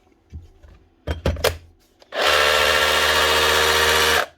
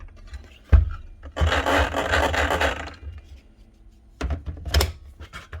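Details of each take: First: Dewalt cordless drill after quick clean-out: a few handling knocks, then a steady motor whir for two seconds holding pitch without grinding; normal running. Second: Dewalt DCS572 Type 1 cordless plunge track saw that turns but doesn't want to run: short spin-up bursts with a dry scraping rub over the motor whine each time; rubbing noise, cause suspected, not confirmed.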